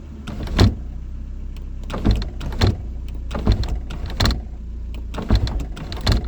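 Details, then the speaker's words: 2001 Ford Escort ZX2 sunroof: the motor whirs in short bursts with a clunk at each stop, binding as it opens; it closes fine but doesn't like to open. Sunroof struggling to open. "Sun roof. Let's see if it'll close. It closes just fine. It doesn't like to open."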